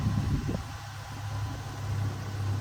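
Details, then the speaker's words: 2010 Ford Ranger idling after fuel pump replacement; it would not start at all before. Low, steady, even idle murmur with no misses, stumbles or knocks; running smoothly. "now I'll start it up one more time for you guys running roast food now it wasn't starting before at all"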